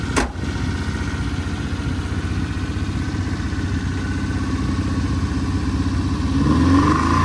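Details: 1971 Honda 1300 Coupe 9S, air-cooled 1300 four-carb dry-sump engine, 4-speed, first drive after 7 years following carb rebuild and ignition cleanup: even engine note building smoothly as it pulls away in parking lot, no knocks or misses; healthy.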